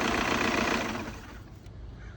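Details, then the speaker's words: 2002 VW Jetta TDI 1.9 diesel, first start after cleaning and refitting the EGR valve: quick even diesel clatter at idle with a blip of throttle, then fades as it's shut off; no misses or knocks, running well. "first start up go ahead start it dip it some gas kill it she's running good"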